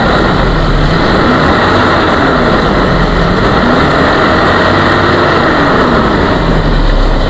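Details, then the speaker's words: 1994 Toyota Kijang Grand Extra KF40 1.5 engine revved from low to high RPM, climbing and falling evenly, with no misfire, rough running, metallic knock or ticking; engine sounds healthy and normal. "Nah, kita naikkan RPM dari RPM rendah ke RPM tinggi, semuanya normal, tidak pincang, tidak berbet, tidak ada suara-suara seperti metal, kemudian tidak ada suara seperti ngitik dan harus diperbaiki."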